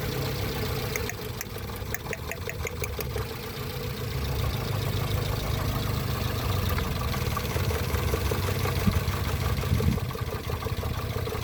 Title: Cylinder misfire test